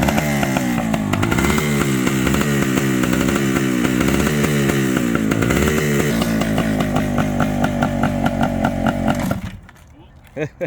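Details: Suzuki TS400 Apache two-stroke revived after sitting outside for years, original tank, minimal fuel, clutch plates partly seized: crisp two-stroke buzz revved in steady blips for about nine seconds, firing evenly, then cut off; engine running healthily.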